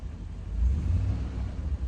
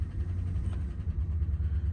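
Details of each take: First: Rolls-Royce after a roadside ignition cut-out failure, now running like clockwork: smooth, even low rumble with no misses once warmed through, small fuel pump audible; normal warm idle. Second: Rolls-Royce just after a cold start, on fast choke revs: a deep, uneven, lumpy rumble; it dislikes cold starts but goes quiet after a moment; rough cold idle.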